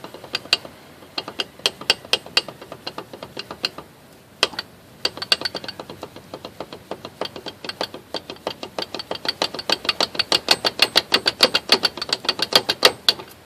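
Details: 1988 Jeep Grand Wagoneer drivetrain making sharp, dry, unevenly spaced clicks roughly three a second with no engine sound behind them; cause unknown.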